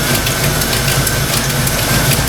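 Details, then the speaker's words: Fox Mustang V8 idling after thermostat install: busy fast clacking over a lumpy idle from the valve train; owner suspects stock rockers, following earlier oil pressure loss and metal shavings. Not confirmed. "Yeah, you know, it almost sounds like that, the clacking noise coming from the valve range."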